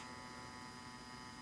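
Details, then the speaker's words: Homemade Splatoon-themed cosplay boombox: a constant low buzzing hum with steady overtones that never changes, a ground loop problem in the amplifier that the builder cannot trace. "what isn't good about my design is the fact that I have a ground Loop problem with this thing that I just can't figure out"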